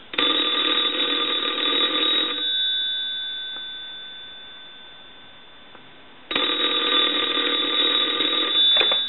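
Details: Pottery Barn Grand Phone after repair of noisy line, handset hung up: two bright bell rings of about two seconds each with a quiet line between; ringer clean and even.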